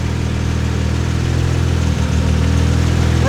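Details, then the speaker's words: R32 Nissan Skyline with an HKS-built twin-turbo 1JZ (HKS head and cams), straight exhaust into a 3.5 in R33 Nismo carbon cat-back, first start: steady, fairly smooth low idle with only a mild lope, not too loud, tame; healthy idle. "okay so it's not too loud at idle it's actually pretty Pleasant it kind of sounds like a j X100"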